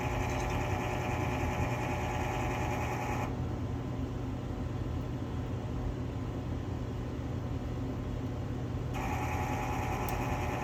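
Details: Quadra-Fire CB-1200 Classic Bay pellet stove auger feed motor: coarse buzzing grind over motor hum each time it feeds pellets; bearing seal leaking grease leaves the gear case dry, gears grinding, motor needs replacing.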